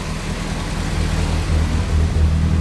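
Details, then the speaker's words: Lancia Delta race car engine rebuilt after a front-end catastrophe, fresh serious cams: low slightly lumpy idle with even firing, no ticks or knocks; runs very nicely. "did I say it runs very nicely very smooth it's not bad there's a little bit you can see things moving but that's um that's got some pretty serious cams in there so that's pretty good"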